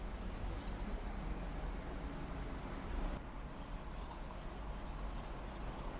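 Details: Japanese kitchen knife on a wet whetstone, pressing lightly on the forward push and not on the pull back, with grey slurry forming: steady, even rasping back-and-forth strokes. This is correct sharpening.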